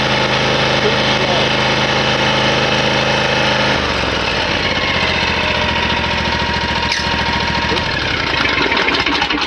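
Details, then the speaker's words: Hustler Raptor mower, Kawasaki V-twin, at full throttle on a newly fitted tachometer: pulls up from a lower run to a steady drone that sounds a little slow; running low RPM, limited by the throttle stop screw, which is then backed out about 1/4 inch. "So I'm going to adjust that out about 1/4 inch and see what we get. Okay, now that we learned that the motor has to be off in order to get that 1P1R on the selected on the thing, and we found out we were running low RPMs, I backed this screw out a fat 1/4 in"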